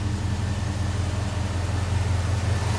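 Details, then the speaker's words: 1969 Dodge Charger with 6.4 Hemi swap, at idle warming to 210.2°F: electric cooling fans kick on via a new 210°F-on/190°F-off coolant switch and owner-run relay, fixing overheating from fans not coming on; steady even low rumble and airy rush, temperature dropping. "All right, so it took a little bit, but I can hear the fans going. 210.2, it hung around there for a little bit, and then they finally kicked on."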